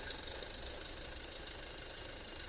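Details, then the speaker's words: 2008 Audi A4 2.0T with codes P119A and P2279: a light rapid ticking of about ten taps a second at idle from a failed PCV diaphragm built into the valve cover, heard before replacement. "It's going to be the diaphragm that's built into this cover. So yeah, when you hear that,"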